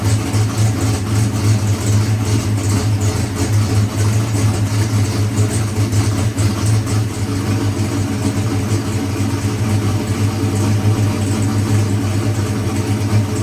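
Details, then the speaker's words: Boosted big-block Chevy race engine after timing-chain failure repair with new cam, fired up for brief run: deep, steady V8 rumble with firm, even beat and no knocks or rattles; healthy running after rebuild. "So, all right, guys. Appreciate it, Brandon. It was fun. We got it fired up, baby."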